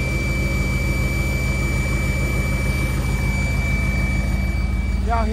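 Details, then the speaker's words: Whine at idle on a V8 in a G-body SS after an attempted Edelbrock 650 carburetor rebuild: constant high-pitched whine over an even idle burble, source unknown. Owner wonders if it relates to the carb work and plans to check torque on everything. "manam what is that [ __ ] whining man dang y'all that [ __ ] is weird that [ __ ] is weird as hell"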